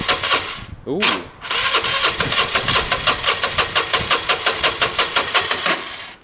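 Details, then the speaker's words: Engine started after adding fuel and hooking up the battery runs with an uneven, raspy pulsing about three beats a second. Rough, tired running; owner guesses it needs an engine rebuild. Worn engine with low compression. "my guess is this needs an engine rebuilt i mean we can keep yeah ultimately like i think we'll get it kind of started"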